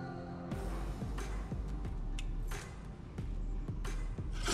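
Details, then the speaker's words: Eberspacher Airtronic heater running on a test bench in ventilation mode: steady low fan drone with a scraping sweep about every half second; a factory fault with the blower fan touching the ECU/housing, fan to be replaced. "Yeah, this is the problem. The fan is touching the ECU."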